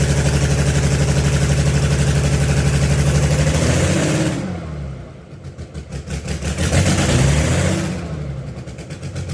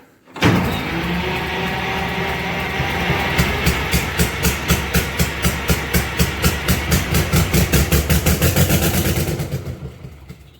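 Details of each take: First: Allis Chalmers HD20 crawler, GM 6-110 two-stroke diesel, restarted after sitting 15 years, with rebuilt and resealed blower and full-flow filters; exhaust manifold/muffler worn out. Rough clatter at about four beats a second, revs swelling and falling, heavy smoke; runs, no longer blowing oil. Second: Allis Chalmers HD20 crawler, GM 6-110 two-stroke diesel, sat 15 years, with a rebuilt blower, new full-flow filters and a shot exhaust; it fires with rhythmic puffs for several seconds, then dies with no fuel pressure showing on the gauge. Brief firing then stall.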